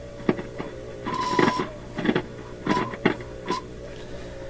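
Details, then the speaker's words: Philips Sonate BA581A vacuum tube radio at full 118 V mains while the dial is turned: irregular scratchy crackles and bursts over a low hum; the tuning capacitor is suspected even after its bearings were lubricated. "so let's let's try and take them apart one at a time first one is this scratchy noise when i tune it"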